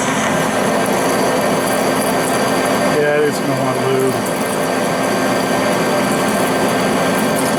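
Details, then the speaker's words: Lathe at 180 rpm, Accusize parting tool under power feed without lube, long stick-out, cutting 303 stainless: steady hum with even chatter-free cutting hiss; clean parting cut, decent finish. "303 stainless power right through it without even having any issues whatsoever"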